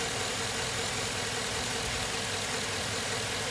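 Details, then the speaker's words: 2007 Suburban V8, about 213,000 miles, idling after motor flush, Lucas heavy duty oil stabilizer and oil change, AC off: steady even hum, previously loud lifter tick (lifters not collapsed, suspected clogged) now completely gone. "wow i'm actually pretty impressed the lifter tick is completely gone i'd say this is success"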